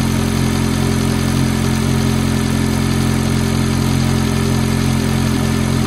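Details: F430 V8 at cold-start idle: a light, regular tick of around four per second rides over the even idle; cause not yet pinned down.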